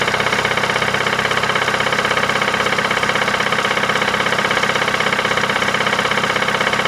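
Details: 2008 Ford Mondeo Mk4 2.3 L engine, 203,000 km, at idle: sharp, very even internal knock about 160 per minute, constant with no throttle change; unexplained engine knock, source undetermined.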